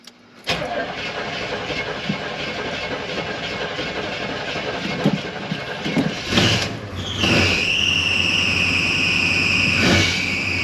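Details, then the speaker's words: 1985 Chevy Suburban K20: engine catches and settles to a fast idle, then a steady shrill squeal rises over it; squealing drive belt at high idle, high idle later assumed to be from the air filter pressing the throttle. "idling a little high the belt is horrible that belt is horrible that's obnoxious"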